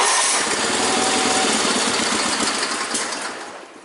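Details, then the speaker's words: Small engine with new fuel filter runs rough and uneven, then dies; stalls when cold, won't idle until up to temperature, still finicky; cause unconfirmed. "But like I said, this one here, she's picky. She won't idle until she's like up to a certain temperature, so. Yeah, she's still finicky."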